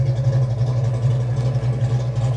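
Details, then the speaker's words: Fox-body Mustang V8 with new heads, cam and intake, restarted after the electric choke heater wire was reconnected: a low, even burble with a smooth, steady lope and no ticks or knocks; normal idle. "Sounds good. There you go, you're a fox body. That's the way they're supposed to sound."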